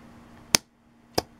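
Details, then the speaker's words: Riding lawn mower tractor starter solenoid bench-tested with positive and negative jumper clips: two sharp, clean clicks as the plunger snaps in to complete the circuit, showing the solenoid works properly. "and you hear that sound like I said it just pushes up to make the complete circuit that's it if you hear that sound then that means your solenoid is a okay"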